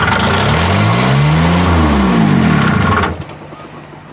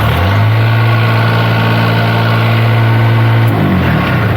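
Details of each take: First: Niftylift HR17 SP50 Kubota diesel, cold day, after glow preheat and fixing low supply voltage (12.6 V feed): cranks, catches and revs unevenly about three seconds then cuts out dead; control board suspected. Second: Kubota diesel in a Niftylift HR17 SP50, running with its shorted engine-speed solenoid disconnected (fault traced to a corroded fuse holder and fuse, plus a damaged board), holds a steady, deep, even idle with no misses, then eases off; normal idle.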